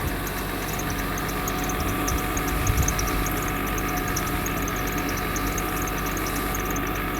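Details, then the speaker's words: Mercedes W126 300SE, M103 3.0 L inline-six, idle raised slightly to about 900 rpm: smooth, even idle with a faint steady hiss, no knocks or misses; normal, healthy idle. "And man, this is this is awesomely good. You've got to love how calm that engine is."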